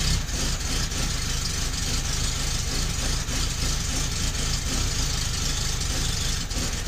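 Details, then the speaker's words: 1972 Fiat 850 Sport Spider, after fitting a Fiat 127 alternator: slow loping idle with uneven low thumps, sagging as if about to stall; idle too low, idle speed set with ignition timing. "is you can hear and see it wanting to die means it's too much means the engine is too much the idle's too low because you set your idle speed with your timing"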